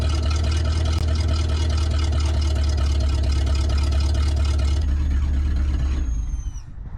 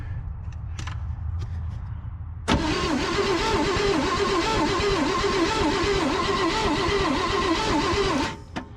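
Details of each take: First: Abandoned 1963 Loadstar truck V8, warmed up: deep, steady rumble holds an even idle for several seconds, then it is switched off; now holding idle normally. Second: Abandoned 1963 Loadstar truck, jumped straight to the coil with key on: starter spins the engine at a steady, even chug for about six seconds without catching; no spark because the points gap is barely opening.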